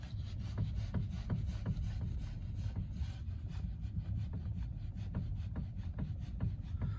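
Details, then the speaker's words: Hyundai Getz 1.4, engine off: sharp dull metallic knocks near the steering rack at irregular moments as the wheel is jerked; no play in the tie rods, play felt in the rack shaft, suspected internal rack/gear wear; quieter with engine running. "Я заметил есть люфт самого штока когда вот резко дергаешь поворачиваешь колесо то немножко ходит люфтит сам шток внутри рейки может быть он зубьями механизмом где-то там у него есть люфты и такое получается звук металлический"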